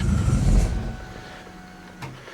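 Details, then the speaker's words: Nissan S13 RB20DET on a new Ecumaster Classic ECU, first successful start: it catches with a loud burst, then sinks to a weak, very low idle. The ECU idle-control settings are not set right yet. "So, for some reason, this this thing is running super low RPM with with the idle control. I don't know why, but I'm not getting these settings right."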